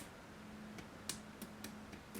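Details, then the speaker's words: Porsche 928 windscreen washer pump motor bench-tested: faint hum broken by irregular sharp clicks about twice a second as the motor shunts back and forth instead of spinning; suspected gunked up and jammed inside. "Okay, it's making a noise. Right, I know what that is. So you can hear it just shunting. What it more than likely is, it's got gunked up inside there."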